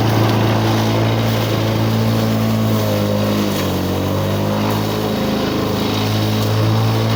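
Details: 1985 Lawn Boy model 7350 two-stroke mower, revived after at least three years outdoors, cutting thick weeds on raised wheels. Steady drone that sags a little as it bites into weeds, then recovers. Runs smoothly; the owner thinks the RPM is slightly low and may adjust it.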